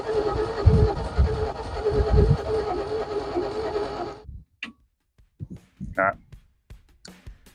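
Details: XP Falcon engine sitting 35 years, with its spark plugs cleaned and the carburettor bowl primed with petrol: about four seconds of uneven starter churning that never catches; it cranks but won't fire, with the ignition timing out.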